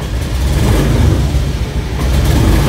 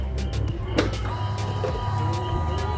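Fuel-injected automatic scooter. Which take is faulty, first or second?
first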